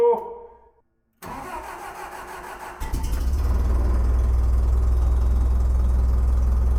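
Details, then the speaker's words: Terex crane engine after new spark plugs and wires and restoring 12 volts to the solenoid: short crank, catches immediately and settles into a steady, even idle with no stumble; runs healthy. "easy sweet running like a top"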